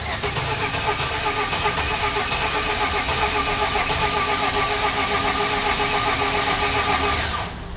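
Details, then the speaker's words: 2013 Chevrolet Express van, V6, no-start: starter spins engine at an even, brisk beat of about four pulses a second without catching, then stops; starter, ground and engine judged good, fault on control side, most likely PCM. "So, it does crank. So, we know everything on the starter side from the fuse box on down is good."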